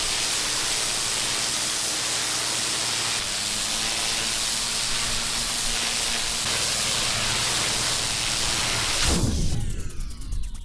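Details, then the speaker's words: Petrol pressure washer engine during a job, stalling for several days: steady small engine drone under heavy spray hiss, then abruptly cuts out near nine seconds; fuel starvation from a dirty carburettor. "The motor on the pressure washer stopped working, it stalled. I've been having this problem for a few days now. You're just working away quite happily and then it just cuts out and stops."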